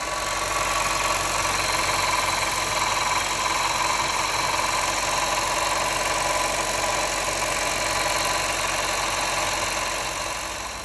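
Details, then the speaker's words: 2011 Honda Fit Sport at 217,800 miles: steady idle with a constant high whirring hiss; noisy tensioner replaced first, noise gone only after alternator replacement, so alternator bearing noise. "when I bought the car I did notice a small engine noise can you hear"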